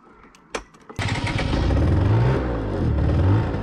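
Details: Small 25/49cc scooter after carburetor cleaning and reinstallation, first start: a few cranking clicks, then it catches at once and settles into a buzzy, slightly wavering two-stroke idle with small revs. Not yet warmed up, with air and idle adjustment still to come, but it runs fine.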